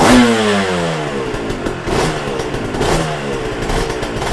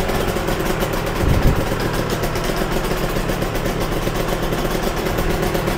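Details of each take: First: Yamaha TZR 250 3XV two-stroke twin, warmed up, exhaust headers 109 vs 82 and heads 60 vs 46: sharp throttle blips falling back to an uneven burble; carburation differs between cylinders, compression fine in both. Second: Yamaha TZR 250 3XV two-stroke twin after both carbs were set individually, second plug refitted and idle reset near 1500 rpm: fast, even idle with both cylinders firing in a steady crackle; healthy and balanced.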